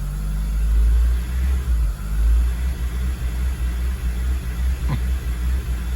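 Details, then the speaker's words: 2002 Acura RSX Type S K20 engine at warm idle after a few minutes' running: idle rises and falls in slow, uneven swells every second or so; hunting idle surge. "But you see the pulsating now, right?"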